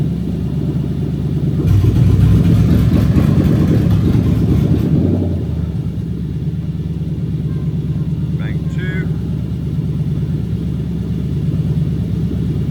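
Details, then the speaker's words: Lexus SC430 3UZ-FE VVT-i V8 on IS200 swap harness, warmed just over cold, idling about 1000 rpm: uneven, stumbling beat as sound drops; induced single-cylinder misfire. "jetes and coils I'm going to go and unplug them all one by one so you can hear every single cylinder misfiring as I do"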